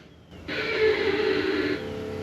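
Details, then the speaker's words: GY6 150cc (157QMJ) scooter with a new starter fitted and the spark plug wire left connected: the engine started, the starter stayed engaged, and a loud high whine eased to a steady hum, a failed starter clutch that blew the starter. "it actually cranked up with the starter the starter stayed engaged and it blew the starter up but the sound you'll hear demonstrate this"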